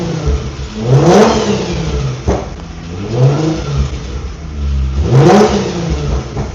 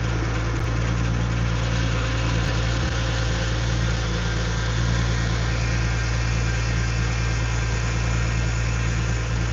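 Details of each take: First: Infiniti G35 drift car with VQ V6 engine. Three quick clean blips from idle, engine picks up fast and settles back evenly. Owner says it sounds nice and revs fast: normal, healthy revving. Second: Infiniti G35 drift car with VQ V6 engine at idle: even low drone with a faint constant whine on top. Owner says low power steering fluid was making the noise and fluid still needs adding: power steering pump whine.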